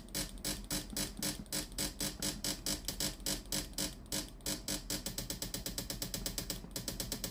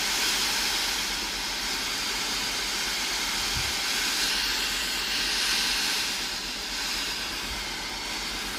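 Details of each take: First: Philips steam iron model AIS8540/80, customer reports no steam but the unit powers on normally. With the iron heated and ready and the water button pressed, fast even pump ticks about eight a second are heard, yet no steam comes out. The water pump is failing and needs replacing. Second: Philips AIS8540/80 steam iron after replacing the faulty water pump (it had no steam output though it powered on): steady, even steam hiss with no sputtering when the button is pressed; steaming normally after repair.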